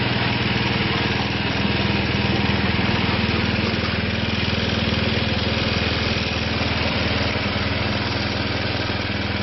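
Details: Craftsman snowblower single-cylinder engine after transmission change, cold morning, choked and primed: settles into a steady, even putter about four beats a second; normal idle after cold start.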